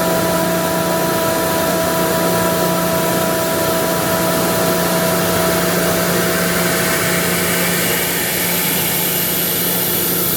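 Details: Ingersoll Rand SSR-EP60 60HP air-cooled rotary screw compressor, 98,485 run hours, set to modulate, tank at about 85 PSI, covers off: steady drone with firm low hum and constant whine on top, no knocks; normal under load.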